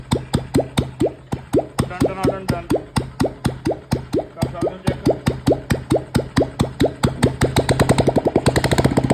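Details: Royal Enfield Electra Bullet single-cylinder after worn cams replaced and timing set to cure tik-tik noise; steady thump about two per second, no top-end tapping, light blip; idles clean and quiet, normal idle.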